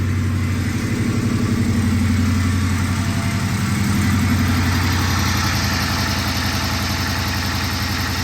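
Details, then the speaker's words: 2010 Charger R/T engine freshly installed in a 2011 Charger with long tube headers and a 6.4 intake, restarted after a brief first run: deep, even V8 burble at idle with regular pulses, no knocks or misses; sounds good. "let's start it again [Music] actually it sounds really good"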